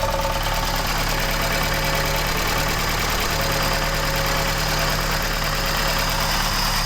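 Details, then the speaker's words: MK1 Ford Escort van petrol engine idling: loose metallic rattle over steady beat, not rhythmic; owner suspects clutch, recently fitted engine mount or steering column, varies and is bad now; idle rattle, unconfirmed. "Sometimes it's worse than others. It's quite bad at the moment."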